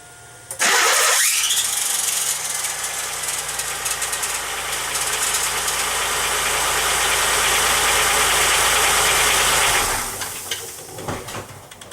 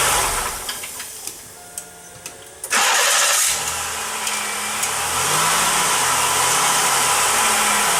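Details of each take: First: 1995 Pontiac Grand Am 3.1L V6, new replacement starter installed with no shim. Harsh, raspy grinding the whole time it cranks, about nine seconds. Suspected cause is too little clearance between the starter pinion and the flywheel teeth. Shims planned. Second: 1995 Pontiac Grand Am 3.1L V6 with the new starter on the third try, shimmed about 45 thousandths (1/64" plus 1/32"). The earlier squeal came on key release. Now a few light clicks, a short crank, and the engine catches and runs steadily with no grinding.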